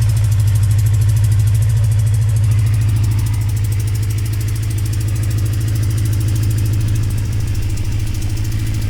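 Deep, steady cold idle with a fast, even tick riding on each firing pulse, typical of an exhaust leak puffing at the header.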